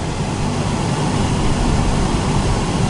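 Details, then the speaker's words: Turbo NB1 Mazda Miata with freshly refilled AC, car running: the passenger-side blower fan is very loud, louder with the AC on. Loud, steady rushing roar with a rough low-end flutter; debris in the blower fan. "very loud, and it gets even louder whenever the AC is actually on, like the car is on, the AC is on, and I need to fix that."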